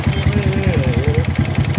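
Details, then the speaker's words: Honda Wave 125 with hard starting, idling: quick, even clacks about six a second over the single-cylinder idle, a mechanical engine clack. The owner says it is not valve-related; it is suspected to be three worn rubber pieces on an old bike. "อันดังแก๊กๆๆๆนี่มันบ่เกี่ยวกับวาวแล้วเนี่หบ่เกี่ยวบ่"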